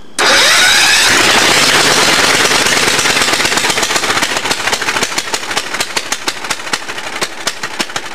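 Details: Allis-Chalmers racing tractor with swapped engine, governor removed, open pipe, homemade gas tank: fires then screams at high revs with harsh crackle and won't come down; kill switch wire had unplugged, near-runaway overspeed.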